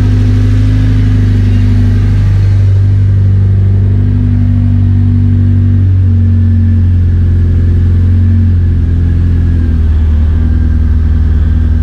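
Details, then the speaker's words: K20-powered Honda Integra DC2 racecar after fuel system fix and priming with no leaks: catches, revs briefly, settles into a smooth idle that steadies over seconds, no misfire; oil pressure, oil and coolant readings all normal; healthy start. "cool that worked perfectly uh on the laptop screen I was just looking at all the vital signs so oil pressure oil temperature cooling pressure that sort of thing everything was where it needs to be so pretty happy with that"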